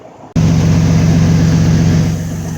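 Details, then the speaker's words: 2004 Dodge Ram 1500 V6 after replacing both driveshaft U-joints (different brands front and rear, greased): steady even low hum with no knocking, clunking or wobble; driveshaft rotation smooth. "we got good rotation. This spot is nowhere near as bad as it was before."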